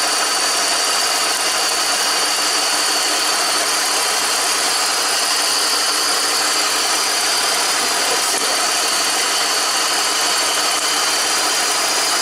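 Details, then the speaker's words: 2004 BMW X5 3.0 L at idle, after an injector was unplugged during misfire testing: rough, uneven idle with a steady stumble; cylinder 2 keeps misfiring because the ECU has disabled its injector until the engine is shut off. "I think it's now the computer is actually shutting down this injector. I need to shut the car off because it's still misfiring now on cylinder number 2 because it's shutting down the injector."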